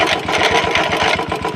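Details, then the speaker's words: Royal Enfield Classic 350 BS4: rapid, busy, high metallic clatter ("ghar ghar") over the running single, loud from the clutch side, possibly inside the engine; cause not pinned down, clutch cover to be opened to inspect. "देख रहे हो clutch के side से काफी ज्यादा आवाज आ रहा है। सुनो आवाज घर घर"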